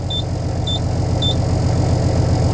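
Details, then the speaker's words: Truck at diesel idle: three short high beeps about half a second apart, the low-air warning while the air tanks build pressure. "you can hear the beep beep beep Air's uh airing up should be done in a"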